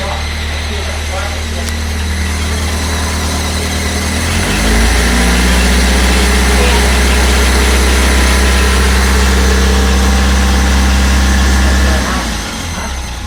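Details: 1996 Fiat Uno Mille at idle: a steady low droning rumble that stops when the clutch is pressed at 0:24 and returns when the clutch is released at 0:28. Cause unknown.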